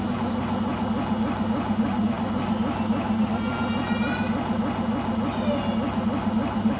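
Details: Beko washing machine on its last legs, loud steady roar with a coarse rumble throughout the spin; owner suspects the rubber behind the drum, cause unconfirmed.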